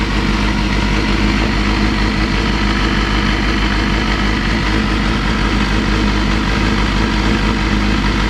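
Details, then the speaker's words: Honda CBR250RR (MC22) idling after new carb boots replaced the cracked, hardened ones and the carbs were synced with a four-column gauge: a steady, even idle with a deep exhaust rumble, no misses or hunting. "start it up show you guys how it idles and um yeah you can't really get it spot on with the carb tune but you can always get it just about right"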